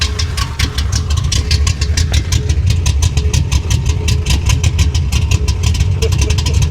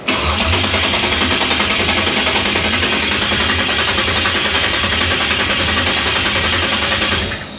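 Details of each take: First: 1966 Impala big-cam V8 about 560hp, warm but not fully hot, choke mostly closed; deep strong loping chop at idle about seven pulses a second, normal lopey cam idle. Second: 1966 Impala rebuilt to 560 hp after a recently clocked fuel pump: starter churns steadily at about three and a half beats a second but never catches; no fuel reaching the carburettor bowls.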